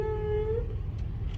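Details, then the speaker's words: Car creeping in parking lot after botched home repair, steering jamming: short high squeal over low rolling rumble; brake squeal likely from dew moisture on rotors, expected to go away after driving. "Okay, you heard the brakes there? No, that's probably just from wetness on the see all the dew on the windows and stuff? That's probably just from wetness on the rotors."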